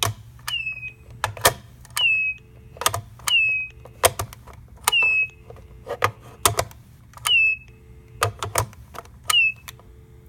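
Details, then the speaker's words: Stanford dorm room telephone: lifting the receiver off the base gives a clack and then a short high squeal sliding down in pitch, even when lifted slowly; it's not the switch hook, and the owner suspects how the receiver rests on the base. "Even if you pick up the receiver a little bit more slowly, it's actually kind of hard to pick up the receiver and not hear that squealing noise."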